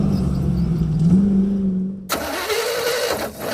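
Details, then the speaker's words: Jeep Scrambler rock crawler restarted on the trail after running fine: cranks fast, stumbles unevenly, then a sharp pop like a carb backfire; ignition timing seems off, something suspected jumping in the timing, unconfirmed. "why is it doing that that's horrible that sounds like it's Mis ignition timing's out but why does it crank fast and then hit because something's jumping in the timing"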